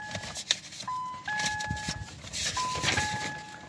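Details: 2014 Ford Mondeo Mk4 keyless, after a battery swap; fob battery new, key inserted, ignition on. A high-to-low two-tone dash chime sounds twice: immobilizer still active and the car won't start.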